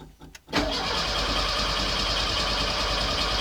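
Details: Autobianchi A112 Abarth 1050cc engine after cambelt conversion: steady, even starter churn, no firing, no knocks or scrapes; cranking with ignition disconnected until oil pressure builds; normal cranking.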